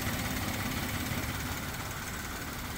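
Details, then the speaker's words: Suzuki Karimun Wagon R with double Blackcore, after Blackcore cleaning and a combustion-chamber clean, idling about 700 rpm: a soft, steady hum with faint injector ticking, no fan roar or roughness, and reduced vibration. "mesin super halus hanya terdengar suara injektor saja yang kencang hanya suara injektor saja setelah suara kipasan hilang yang ada hanya suara injektor sangat halus nih getaran juga berkurang ini hampir tidak"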